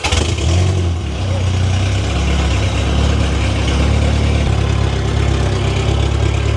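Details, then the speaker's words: 1992 Honda Civic VX with a rebuilt Jackson Racing supercharged B18C VTEC engine at first start, on a base map and not yet road-ready, to be heat cycled. It idles deep, steady and even with a smooth exhaust beat and no knocks or misses. Normal idle. "All right. So, it's running pretty good. Definitely base map and not ready to drive it on the road, but we're going to be able to heat cycle it and uh check everything out and get it ready."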